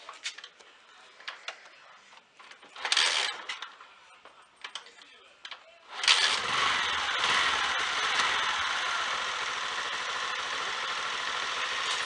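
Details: Honda Fan 125 motorcycle after fixing chain noise by fitting the plate and bolt: some handling clatter, then engine starts and idles steadily with no chain rattle or rubbing; normal chain drive, noise showed mostly when riding.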